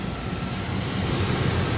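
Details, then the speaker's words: 1999 Chevrolet Tahoe V8 at pre-purchase inspection, newer battery, fires right up: deep, low, steady hum, quiet, smooth, no knocks or misses; normal idle. "So, fires right up. As you can tell, newer battery. Uh, sounds good. Quiet."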